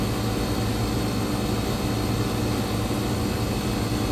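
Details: Electro Freeze machine with a "can rfg" error, slightly overcharged, head pressure driven to about 175 psi: a steady, even compressor and fan hum with no knocking or surging. It levels out and runs normally.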